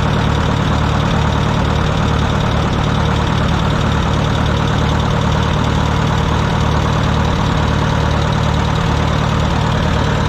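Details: Wisconsin VH4D air-cooled engine on Bandit model 65 wood chipper, repaired after abandonment: starts great, steady even low drone with smooth beat, no knocks or misses; running healthy.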